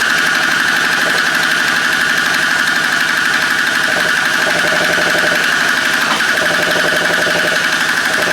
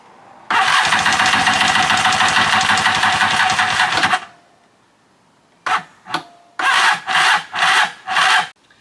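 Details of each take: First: Free stand-up two-stroke jet ski after the case vacuum line was rerouted to the other side of the carburetor, once it needed a moment to prime fuel: a fast, fairly steady buzzing beat around four pulses a second. It is now running properly. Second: Free stand-up jet ski, new spark plug fitted and starting fluid tried, cranking on the old EverStart battery: starter churns about four seconds, then short dragging bursts that die away; weak battery, slow cranking, swapped for a spare JS300 battery.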